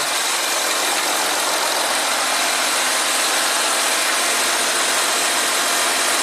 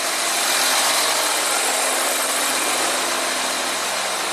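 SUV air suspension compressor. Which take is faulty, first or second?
first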